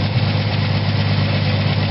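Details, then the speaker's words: 1979 Ford F-100 after an aftermarket Chinese carburetor swap, new fuel pump and cleaned starter: smooth, even low rumble at steady idle with no misses, stumbles or ticking; fuel filter still to go in. "i'm gonna put a fuel filter in but other than that it's running pretty good"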